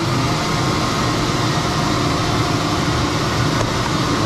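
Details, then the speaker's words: Newly installed whole-shop sawmill dust collection blower, powered through a phase converter, switched on: steady, even rush of air with smooth low hum, no knocks or rubbing; normal blower running. "Come on over here, hit a button, and we hit the blower on."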